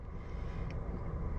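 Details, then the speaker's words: Hyundai Elantra first start after reinstalling the cylinder head with a new head gasket, gasket set and timing belt: it fires right away and settles into a low, even idle with no knocks or misses, no warning lights and cold AC. "So we're sitting in here with some nice cold air conditioning, by the way, which is awesome, considering that this is the first time we've actually heard this thing run."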